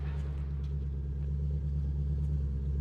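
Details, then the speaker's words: 2005 Maserati GranSport V8 idling after startup: deep, even, melodious exhaust rumble with a steady beat and no ticks or knocks, before revving; normal healthy idle. "So this is one of the really great exhaust notes out there. It's a lot more melodious than the same engine with the flat plane crank and the 430, which just sounds pretty angry."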